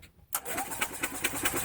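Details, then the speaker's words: Yamaha utility cart, crank no-start: the starter spins the small engine at about five even chugs a second, but it never catches. Fuel and spark were confirmed. "so we've got a crank no start and we're gonna show you that in just a minute"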